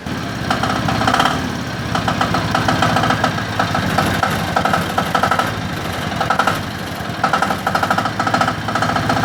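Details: Diesel generator SDG12800E: rough, uneven diesel clatter with irregular surges and sags as it fights to catch; hard starting, cause unknown.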